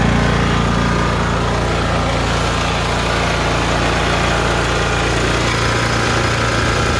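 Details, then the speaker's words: Mower running smoothly with a steady, even low thrum and no misses or knocks, after resealing the leaking valve cover gasket with silicone; oil had dripped onto the exhaust causing white/grey smoke, now the smoke is gone and the pulley works. "so let me start it up and show you the smoke is gone and the pulley works"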